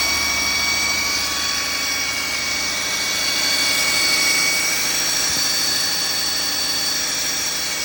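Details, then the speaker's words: Audi/VW 2.0T engine revving: steady high whirring whine over the engine, fairly okay at idle; owner suspects a balance shaft bearing, unconfirmed. "But it sounds whirly. Like a whizzy noise. I suspect the balance shafts are out. One of the balance shafts is making a bearing noise in my opinion."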